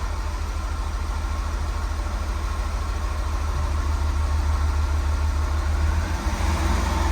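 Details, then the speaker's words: Guanci SSJ late-1970s mid-engine V8 prototype, first start after over 25 years in storage: a deep, steady V8 burble with an even firing beat and slight rev rises, no knocks or misses; normal running. "Yes! Yes! Yes! Oh, that's clean. That's This is insane! It just started."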